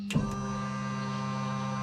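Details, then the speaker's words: Homemade turbo jet boat, first power-up of new wiring with ECU unplugged: a click, then the second bilge pump runs with a steady, even motor hum, no grinding or wavering; normal pump operation. "That's the other bilge pump. That's working too."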